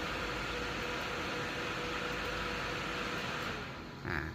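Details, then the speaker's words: AMD RX580 graphics card with a previous fan-not-spinning problem, on test with fan speed forced to 100% (up from 63%) at 27°C; strong steady rushing whoosh that tails off near the end, fan spinning freely and normally. "ถ้าเกิดรเนี่ยมันพัดลมต้องดังมากขึ้นนะครับเพราะว่ามันหมุนแรงขึ้นนะครับอ่าเห็นมครับหมุนแรงขึ้นอ่าตัวเนี่ยแฟนสปีดก็อยู่ที่100%นะครับ"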